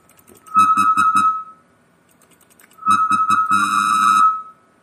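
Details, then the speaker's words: Keyed audio tone through Linrad 05.00 software: short high beeps, each carrying a low buzzy hum artifact that is audible at higher volume, from its IIR filter lacking double-precision floats. "i found an artifact turn up the volume here you can hear the humming sound"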